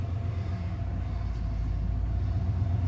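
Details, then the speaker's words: 1995 Ford F-150 idling in park after swapping the factory power steering pump for a Saginaw pump: steady low rumble with no power steering whine, engine idling smoothly; normal idle. "I don't know about you, but you don't hear a whine from it. All right, let's close it up. It's nice and quiet."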